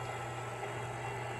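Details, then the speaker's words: MTH Propane Turbine (20-2261-1, Proto 2.0, 2001) locomotive on track with smoke units on, after replacing the noisy rear smoke fan motor; faint even whir over steady low hum, no rattle or buzz, quiet compared with before. "look at the difference in sound there we go problem has been solved turn the Smoke on the sound it's not like it was before"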